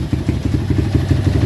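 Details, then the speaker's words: Honda XR200 200cc enduro, about 15,000 on the odometer, running again after over 8 months in storage with no parts replaced: an even single-cylinder thump at steady idle, no ticking, knocking or misses, no leaks, very quiet; normal idle. "E wala pang katagas-tagas. Tahimik na tahimik pa."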